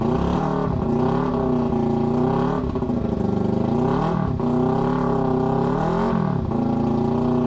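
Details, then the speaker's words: Motorcycle that sat about 8 months unwinterized after a crash, now fixed with fresh fuel and new spark plugs: twin revs up and down in smooth blips, then settles to a clean, even idle with no misfire; bad fuel and plugs were the cause. "Bad fuel and bad spark plugs. We got it ready. It was bad fuel and we changed the spark plugs. She was ready."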